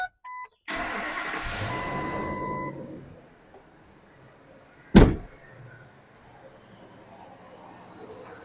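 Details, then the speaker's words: 2002 Ford F-350 Super Duty 6.8 L V10 gas after spark plug replacement: quick crank and catch, then quiet even idle with no ticks, knocks or stumbles; no check engine lights. "I'm pretty impressed I don't hear anything wrong"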